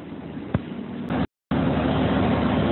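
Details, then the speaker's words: Repaired air conditioning compressor 2RD132X5BA at start-up, with the discharge opening blocked to test pumping: a steady, even hum with fan whistle as it builds revs, no knocking or rattling; the compressor pumps and is successfully reconnected. "ето виждате как изпуска стата и набира обороти чува се дори вибрирането на компресор значи компресорът е успешно свързан"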